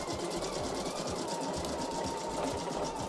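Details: Embroidery machine with automatic needle threader, test-running a design after a thread change. Quick, even run of soft needle thumps over a light motor hum, with no grinding or catching. Normal stitching.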